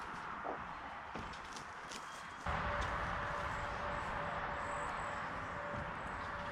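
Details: Crank no-start on a 1990 Sea-Doo GT with a 587cc two-stroke, bought non-running, tried with choke: the starter spins it at about four even pulses a second but it never fires; spark is checked next.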